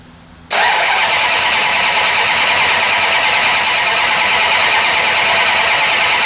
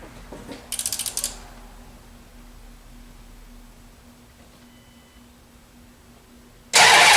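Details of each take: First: 1968 Plymouth Barracuda, ATK crate engine, new ACES EFI distributor replacing MSD Ready To Run unit, first fire-up: engine catches with a harsh, raspy, uneven roar, sounding grossly out of ignition timing. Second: 1968 Plymouth Barracuda with ATK crate motor, new ACES EFI distributor and high-torque starter, before first fire-up: the starter spins the engine briskly and evenly at about three and a half turns a second, healthy cranking.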